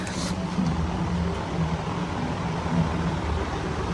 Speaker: It is from 2019 and it is a 3-ton. Yeah, this thing is extremely quiet.